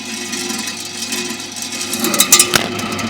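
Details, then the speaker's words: FRIDGESTAR 772L sliding-door beverage cooler, back right: hissy, rattling fan noise with irregular clatters from a loose, wobbling condenser fan blade and a worn-out, very hot fan motor, which was replaced. "so there's more than one problem here the fan is loose and wobbling the second problem is that the motor has worn out"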